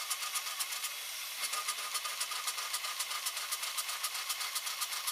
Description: 2004 ESCALADE ESV 6.0L LQ9 ENGINE, misfire on cyl#2 only at idle... intake valve leak is suspected...